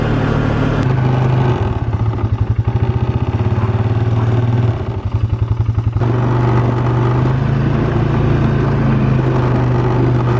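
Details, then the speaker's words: 2017 Polaris Sportsman 450 ATV after first service, riding in below-freezing weather: loose, fast clanking clatter in bursts from plastic under the gas cap/seat, traced to the large air intake tube knocking; quieter when rider sits down. "now I'm pretty sure you could hear that on the camera it was making that terrible clanking noise"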